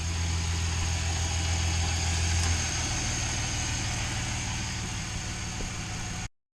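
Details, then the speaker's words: 2007 Chevy Silverado Classic 4.3L V6, crank no-start from no spark, fixed by repairing and soldering ignition wiring: catches and settles into a steady, even idle with a smooth low rumble, no misses or knocks; normal idle. "she's alive she's alive"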